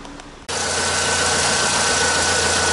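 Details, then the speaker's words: Car AC compressor heard from under the car after a simple repair; quiet idle, then the clutch engages and a steady, even whir with no rubbing and only a slight gap: normal AC compressor operation. "olha aí compressor de girando e nem sinal de chegar perto ali ó aí que é bonito ó tá vendo ali não tá fazendo barulho não tá fazendo nada"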